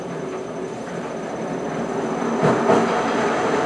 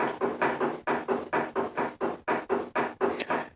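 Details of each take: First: Powermatic 90 wood lathe, dated around 1959–1960, restored and fitted with a variable frequency drive and speed potentiometer: even whir with a faint high drive whine, no knocks or grinding, then spins down and stops cleanly; healthy lathe. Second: Restored Powermatic 90 wood lathe, believed circa 1959–60, running, tailstock not anchored and its lock threaded rod worn: quick, steady knocking about three to four per second as the loose tailstock rocks on the bed.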